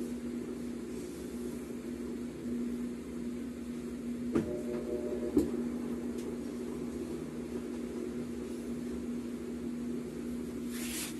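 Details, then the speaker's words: Mabe tower washer-dryer on spin cycle: steady humming whir with fixed low tone and sharp clicks from transmission bearings, grease washed out after water got in; machine also leaks water. "de hecho aquí ya podemos escuchar el sonido de los baleros los rodamientos indicando de que ya ha pasado agua hacia ello ya le ha quitado totalmente la grasa"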